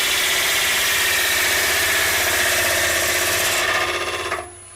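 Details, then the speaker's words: Lathe turning an ogee bowl blank with an unflattened base and a big crack: rough, rapid chatter of about four beats a second under a high tool hiss as the lopsided, cracked blank spins out of true; vibration. "now two reasons that's happening a I didn't bother flattening off the base B we're dealing with a big crack for it"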